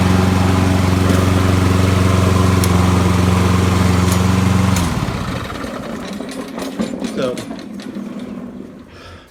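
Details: Poulan 22-inch self-propelled mower with a Kohler 149cc 6.75 engine, previously run without an air filter, after a carb clean: a smooth, even small-engine beat for about five seconds, then it cuts off and winds down. Normal running.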